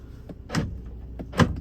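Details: 2013 Jeep Grand Cherokee, accident repair, after refitting driver door and reconnecting plugs, engine running: two crisp, quick lock actuator clunks about a second apart, firm and complete; locks working normally.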